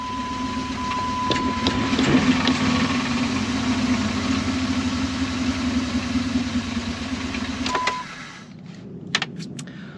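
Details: 2002 Jeep Grand Cherokee Limited 4.7L V8 with misfire; rough uneven idle, steady lope near three beats a second from a dead cylinder, later found to be a dropped valve seat.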